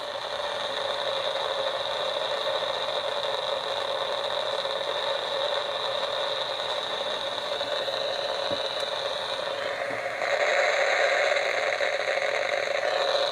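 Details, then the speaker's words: DIY AM superhet receiver, just finished, antenna on temporary clip leads: steady hiss with faint whistling tones swelling near the end; lots of static only at certain tuning spots, owner doubts the bench is causing it, source unknown. "there's a lot of static right there and I'm not really sure where that's coming from but I don't really think there's anything on the bench that's causing it"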